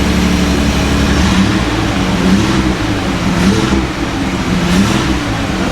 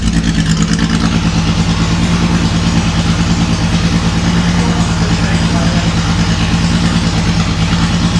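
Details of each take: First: Datsun 280Z barn find off road 18 years, after injector work, not yet at temperature; revs up and settles evenly, no knocks or misses, smoky cloud likely excess fuel in tailpipe from running rich; normal revving. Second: Datsun 280Z barn find, off the road 18 years, after new injectors and clamping fuel lines: deep lumpy idle with an uneven pulse that never settles; runs no differently than before, then dies; cause not yet found.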